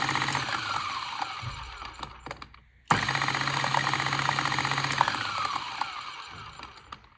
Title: Mahlkönig X64 SD strange noise